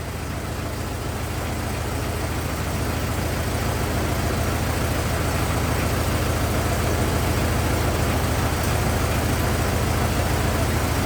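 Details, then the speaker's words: 1927 Ford TT truck, on battery ignition, choked after restart; even, unhurried idle about three and a half beats a second, no knocks or misses; some oil leak, owner suspects loose hogshead inspection cover; normal idle. "good enough it's a good runer got no no complaints about any of that"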